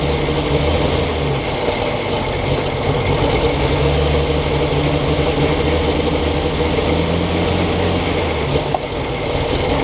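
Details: 1942 Chevrolet Blitz CMP 4WD truck, 216 six-cylinder petrol with Carter carburetor, gravity-fed fuel after sitting for years: idles loud and fairly steady with a low, even chug, no knocking or grinding; running normally after storage.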